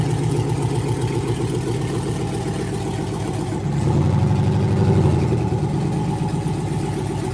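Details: GM L86 6.2L Gen V V8 on an engine stand, first start after swap prep (new harness, ZL1 fuel pump, vacuum pump and purge valve deleted): strong, even idle with a short rev blip settling smoothly, no knocks or misses; healthy engine.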